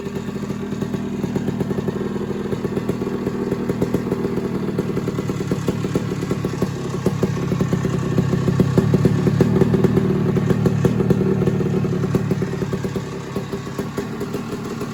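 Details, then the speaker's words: Suzuki PE175 two-stroke after FMF silencer install; crisp, ringing crackle swelling with throttle blips and settling back cleanly; pulls evenly, healthy, not much different from stock when heard in the garage. "So, honestly, sitting here in the garage, it doesn't sound as different"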